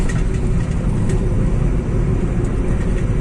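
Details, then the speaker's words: Volkswagen Polo 1.2 MPI after repair of cylinder 2 misfire (parts and engine oil changed): steady low engine drone pulling smoothly under load on the road, no stumbles or jerks; pickup now normal. "उसके बाद जी का प्रथम normal हो गया कुछ भी problem नहीं है पिकअप गैरे में बिंदास निकाल ले रहा है"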